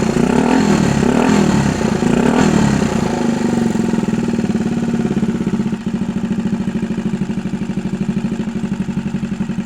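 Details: 1964 Honda Super Cub CA102 after full top-end rebuild: single buzzes up through quick throttle blips, then settles to an even putter of about three beats a second; good compression, no longer smoking, running really good.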